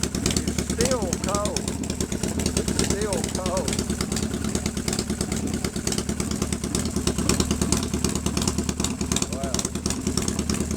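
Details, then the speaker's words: 1997 Harley-Davidson Fatboy Evo V-twin with a Mikuni carb and 70,000 miles, after a hard start from a dry fuel bowl after a month's sitting: steady, slightly raised lumpy cold fast idle with even low-pitched firing, running smoothly. "But here she is running [Music] on fast right now. This"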